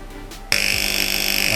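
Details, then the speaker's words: Magnetic contactor with coil voltage lowered from 209 V: harsh steady buzz starting around 145 V, pulsing rapidly; chatter and vibration caused by low coil voltage, worst around 150–160 V, fine at 180–190 V. "อ่านี่ครับเริ่มมีเสียงแล้วนะครับทุกคนร้อยสี่สิบห้านะครับ"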